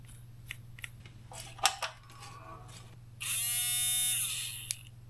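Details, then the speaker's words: 2015 Range Rover L405 driver door lock actuator motor tested out of its sealed module while chasing a remote-locking fault; short clean electric whir at even pitch, strong torque, motor healthy, so fault suspected in contacts instead. "the motor sounds good it's not the motor door yeah it got torque oh yeah it got a lot of torque"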